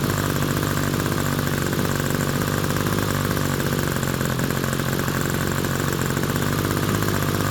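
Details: Small RC glow engine on Swamp Juice fuel with a standard OS No. 6 glow plug, after tuning and transition checks: steady, even high-pitched buzz at idle, no sag or misfire; normal idle.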